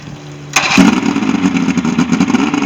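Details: Ebbtide boat engine, final running test after a no-start, 6/6/23: brief quiet, then it fires at once and settles into a steady, even run with no misses; starting and running normally.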